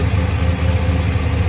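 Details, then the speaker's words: 1985 K20 Suburban with LS swap, about 200 miles on swap: deep, steady idle with mild rhythmic cam lope, even pulses, no knocks or misses; owner says it idles fairly smooth, healthy. "um but yeah let me do a walk around so this idling runs fairly smooth"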